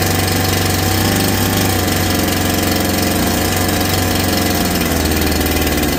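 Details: Holzfforma G372 chainsaw (Farmertec clone), first start after crankshaft seal replacement for a factory air leak that kept it from tuning, chain off, choke off: loud fast buzz holds steady and picks up cleanly, responding properly, unlike the erratic running before.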